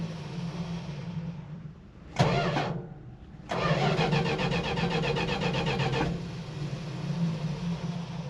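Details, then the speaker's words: Cranking burst, pause, then long steady whirring as the starter spools down after the engine fails to light off. "but when you crank it and it doesn't light off sorry it uh it takes like eight minutes to to spool down"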